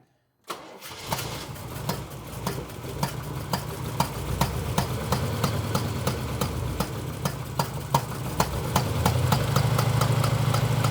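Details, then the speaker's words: Engine with timing just reset to spec after a distributor change for a months-long backfiring problem; sharp pops about three per second over the idle, later attributed to a loose spark plug leaking compression. "that good okay here's where she's supposed to be why is that popping I don't [Music] know"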